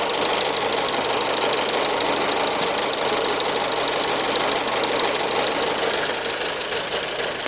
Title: bruit moteur 1.4TJet 155